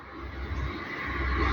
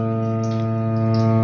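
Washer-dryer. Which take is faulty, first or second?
second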